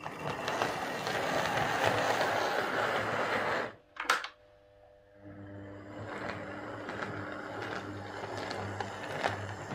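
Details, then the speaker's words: Hornby R150 Class B12 model locomotive, previously very noisy despite new bearings and gears, after motor change: brief pause then soft even hum with no grinding or catching; runs smooth and quiet. "let's just see how this runs now so as you can hear that's running quite quiet"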